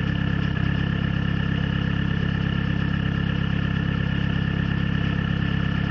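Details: Peugeot/Citroën XUD diesel, cold: low rough idle with a rhythmic stumble; misfire from a faulty glow plug and weak battery, stops once at temperature, fixed by replacing the battery.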